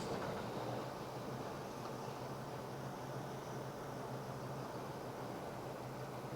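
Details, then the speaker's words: Engine with Autolite 4100 carburetor, vacuum line fully removed: loud airy hiss over an uneven, stumbling, awful-running idle that may stall, demonstrating a large vacuum leak; runs normally once plugged back in. "If you have a really large vacuum leak, and you'll be able to hear this, I'm going to just remove this line in its entirety. The engine probably will die. You can hear the hiss. It's running bad. It's just awful."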